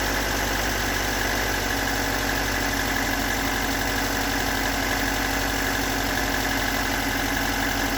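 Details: Stock unmodified bigport blue-top 4AGE in a Toyota AE86, about 195,000 km on the swapped clock, regularly maintained: uneven rough idle with a fast knock around three beats a second that never settles; owner cannot locate the cause.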